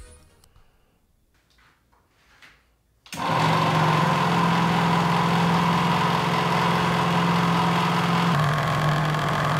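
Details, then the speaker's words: 3D-printed winch with motor driving gears, mounted to a metal plate, lifting a 150 lb CNC table: steady motor drone with rapid regular tick, three to four per second, louder under load; gear clicking, cause unconfirmed. "There doesn't seem to be anything else hitting anywhere. And the noise gets louder when it's under load. And being mounted to the metal plate seems to amplify it."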